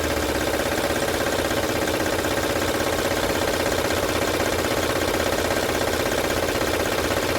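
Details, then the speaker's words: 2006 Honda Odyssey engine at steady idle with no trouble codes. A loud, fast, fairly even rattle of about two to three per second rides on top. The timing belt area is suspected and covers are being opened to check; unconfirmed. "como ven pueden Escuchar el ruido es fuerte vamos a ver de dónde está viendo"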